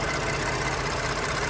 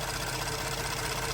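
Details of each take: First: Ford F-150 EcoBoost at idle: light, fast ticking over engine note; valvetrain and injector tick, considered normal, not a knock. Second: Ford F-150 EcoBoost, warm idle: fast, light sewing-machine ticking from high-pressure direct injectors, noisier like a diesel; cold lifter valvetrain tick has gone away, so normal.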